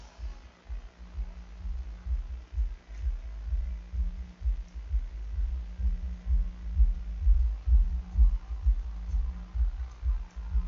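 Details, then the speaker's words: Hifonics Brutus BXI 1606D 1600 W mono class D car amplifier after cleaning (earlier crackled at 2.4 draw), power-on test: steady deep bass thumps about twice a second, no crackle, pops or hiss; playing normally. "On va l'allumer. On va espérer qu'il y ait du son. J'entends du son."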